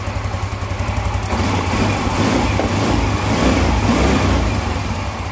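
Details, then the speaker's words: Yamaha Mio Z fitted with a used Vario 125 FI piston after a new block and piston failed within months: engine revs and eases back smoothly, clean even exhaust, no knock or rattle; oil circulating; normal. "Dan untuk suaranya teman-teman dengarkan ya. Cukup halus teman-teman ya, untuk suaranya cukup halus."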